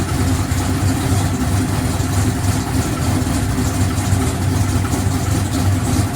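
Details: No-prep drag car V8 warmed up before loading for Rockingham, after clearancing the rocker arms that were hitting the valve cover: a deep, loping idle with no clatter from the valve cover, the valvetrain settled and quiet.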